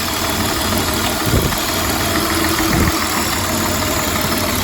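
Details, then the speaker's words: 1999 Honda Odyssey, about 301,000 miles, sat for a while, misfiring: uneven idle with a recurring stumble. Unplugging coils one at a time found the cylinder that showed no change, and its coil pack was suspected. "okay put that one back in so we got this one right here this is where our misfire is"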